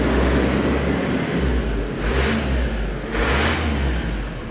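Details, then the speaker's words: 1.9 diesel Isuzu D-Max, 104,000 miles, used for towing, after an oil and filter change (old oil like tar with sludge) that cured a crank-no-start: steady diesel clatter with two clean throttle blips, no smoke, no warning lights or codes; runs and revs normally. "no smoke like I said we've got no no engine management lights it had no codes not one not one code in it"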